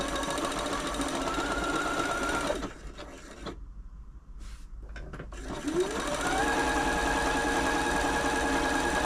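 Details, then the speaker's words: Janome Atelier 6 sewing machine after a full service including the walking foot: quick, even needle rhythm of about 3.5 stitches per second, pausing briefly and resuming smoothly. Healthy and quiet. "that was a really nice smooth machine"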